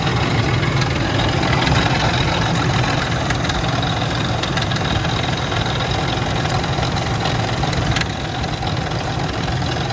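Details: Ford Expedition 4.6 two-valve V8 idling: loose, fast rattle under the hood over the engine note; broken timing chain tensioner guide found, with heavy sludge in the engine.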